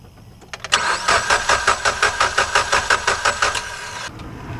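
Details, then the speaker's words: 2011 Mitsubishi Evolution, electrical blackout caused by rodents, battery dead: starter turns engine steadily, about three beats a second, for several seconds but it never fires; spark plug test shows no spark, compression sounds good. "okay there is no spark so that means something else happening so if the gas coming in and no spark definitely you will not be able to start"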